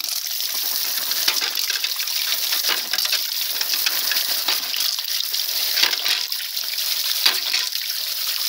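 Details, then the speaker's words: Ram pump with a spatula-spring waste valve, running on rushing water with a sharp valve clack. Adding weight to the valve slows cycling for a bigger water hammer and more output; here the cycling speeds up. "you hear how slow that is you got a bigger water hammer more wastewater and more water output [Music] and you hear it speed up"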